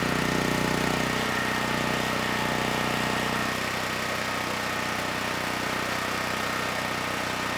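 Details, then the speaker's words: Generac GP6500E generator, formerly seized engine now running, warmed up, tested outdoors under load up to 6,000 W near max: steady even drone settling slightly as load comes on, no knocks, misses or hunting; 121 V held, 61 Hz to just below 59 Hz, distortion 6% to 16%. "This generator had absolutely no issues handling the load. We started at 121 volts, about 61 hertz, and 6% distortion."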